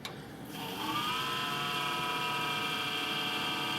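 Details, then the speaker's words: Home server powering up after a power outage: a loud, steady, high whirring with a rough buzzy tone rises within a second. The owner suspects a bad fan, likely a noisy bearing; a fan in it was replaced earlier for a bad sound. "that's really loud what the heck [Music] hm that sounds really bad let me uh check the back and see what the heck is going on here sounds like a bad fan"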